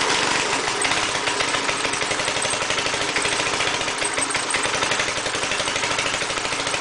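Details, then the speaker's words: Small air compressor engine after head and valve seat cleanup and oil change, muffler off, on choke: rough, surging and stumbling instead of holding speed; erratic running, owner suspects governor or carburetor. "there could be a problem with the governor cuz uh it's just like you can see what it's doing I don't know exactly how these uh compressors are controlled"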